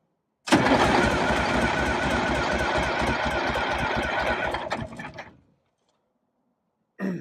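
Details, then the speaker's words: Detroit Diesel 6V92 in MC9 bus, cold start with no pre-warming: catches with loud uneven clatter about five seconds then dies, maybe only one or two cylinders firing; owner suspects leaking/clogged injectors or stuck piston rings. "this is how its behaving lately I'm gonna do this a little bit and it starts don't want to go again all right we'll do it again it sounds like I don't know maybe one two are firing"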